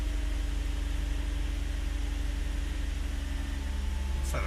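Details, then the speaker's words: Nissan V35 (350Z/G35/Stagea) idling after error code cleared, no codes showing; steady even idle with a smooth low rumble, no knocks, misses or stumbles; started a lot better than before; normal idle. "Start it up and so there we go. Back. That started better."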